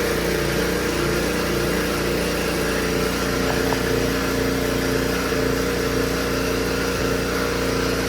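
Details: Honda HS520 single-stage snowblower, previously no-start and unserviced, after troubleshooting: steady even buzz from the small single-cylinder engine with no misses or surges; running smoothly.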